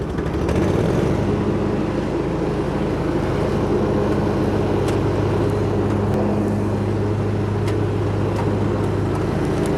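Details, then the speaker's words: Hustler Raptor SD zero-turn mower after deck and spindle rebuild for thrown belts: engine settles into an even, steady drone with no knocks, misses or surges; running smoothly and healthy. "Well, seems to be running pretty dang good."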